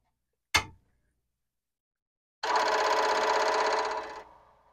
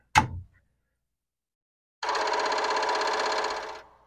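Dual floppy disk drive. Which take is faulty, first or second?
second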